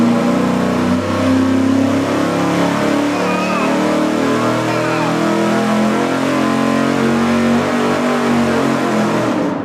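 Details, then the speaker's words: V8 on a dyno with a budget 750 CFM 4-barrel carburetor, secondaries zip-tied fully open, at wide open throttle: a steady, loud, smooth, strong pull with no stumble or misfire, about 415 lb-ft at 3,000 rpm. "Performs as it should. That was killer."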